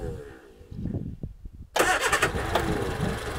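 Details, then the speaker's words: 1976 Reliant Robin van: under two seconds of cranking, fires promptly and settles into a steady idle without misfires, not smoking badly though leaking some oil; normal start and idle. "There we go. A lovely sounding little Robin van."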